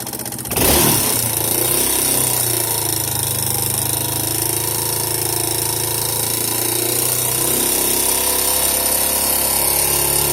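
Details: Yamaha Serow 225 with auction-bought XT225 1KH/1RF engine swapped in, running XT225 3RW1 CDI: starts and settles into fast idle with busy metallic clatter over the exhaust beat; abnormal noise, source unclear.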